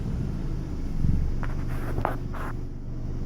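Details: 2013 Dodge Dart SE 2.0L, revving: deep heavy rattly rumble, almost V8-like, swelling with revs and strongest between 2500 and 3000 RPM, some wind buffeting; source unknown.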